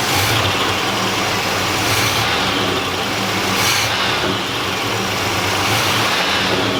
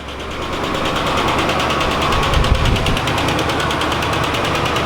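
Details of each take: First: 1986 Oldsmobile Cutlass revived from a junkyard, with a new fuel pump and primed carburetor, just started: a steady engine note holds an even pitch under some hiss, with no knocks or stumbles. It runs smoothly, but gas is leaking from the fuel line. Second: 1986 Oldsmobile Cutlass, saved from a junkyard, first start after sitting 6–8 months with a new battery. It fires quickly into a rough idle with a loud, fast lifter tick from the valvetrain.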